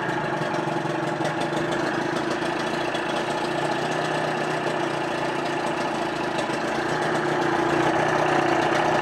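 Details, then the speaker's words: 1988 Johnson 30 hp two-stroke tiller outboard, 140 psi compression, new plugs and impeller, cleaned fuel system: even, busy idle holding steady without misses or stumbles, rising slightly at the end; healthy idle. "It's gonna smoke, but I want you guys to hear the actual engine."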